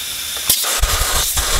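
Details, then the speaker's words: BMW 335i N54 twin turbo, intake pressurized with an air compressor for a boost-leak test: a steady sharp air hiss. The leak is from the blow-off valve vacuum hose, suspected missing a clamp. "remove it i put my thumb here hopefully you guys saw that and now we can definitely hear a boost leak alright so the leak is clearly coming from that hose right there"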